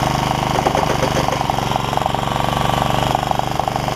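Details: Honda HR194 push mower after ignition coil replacement and freeing throttle linkages: chugging steadily at mid throttle, even firing about four pulses a second, no misses, running on its own; normal running.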